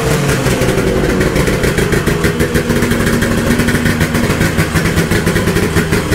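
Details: 1972 Ski-Doo Nordic 440 snowmobile with a rebuilt two-stroke engine and a preliminary carburetor adjustment, cold started after a week sitting. Steady, crisp running with an even buzzing exhaust beat and no misfire or stumble; healthy.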